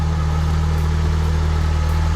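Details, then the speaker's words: Nissan 240SX KA24DE after timing chain tick repair, swapped cylinder 2 and 3 ignition wires corrected, cold engine: deep, steady hum with even beat, no shake or miss; smooth, healthy idle. "That sounds way better. All right, the motor's not shaking."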